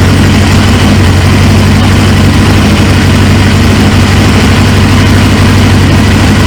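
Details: 1999 Suzuki GSX-R 750 on its first start after fitting a used replacement engine: it fires and settles into a steady, even low idle with no knocks or misses, healthy, though a fuel leak then shows from the tank, possibly a hole.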